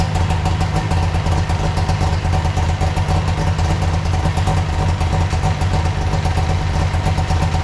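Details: Arctic Cat Puma Deluxe 340 two-stroke snowmobile, sat about 10 years, after cleaning and refitting the carb enricher plunger and cable: steady, even idle with a constant low burble and no misses or knocks; running normally.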